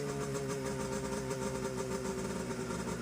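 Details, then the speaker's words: Seadoo HX with 720 Rotax two-stroke, run out of water after fuel line, tank and carb work and fitting the missing driveshaft coupler dampener: even, steady buzz with no clanking; runs clean and strong. "the engine to verify the coupler clanking noise is gone and the engine is starting and running strong after the carb and fuel system work."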